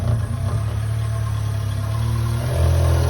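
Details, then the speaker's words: Subaru Sambar kei truck (carbureted) after winter storage, first start after fuel pump priming restored fuel delivery: small engine settles into a steady, even idle with smooth low hum, no misses or knocks; runs fine. "she's a runner all right put the air filter back up all right she sounds pretty good"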